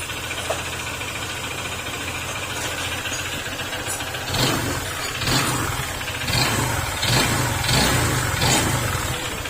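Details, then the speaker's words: Honda ADV150 scooter: rough idle, then a hard knock rising with each throttle blip, following acceleration, indicating connecting rod problem. "kapag po ganyan yung tunog ng makina ninyo sumasabay sa pagpihit yung tunog Sumasabay yung kanyang tunog sa pagit ng acceleration na may problema yan saal or yung connecting R"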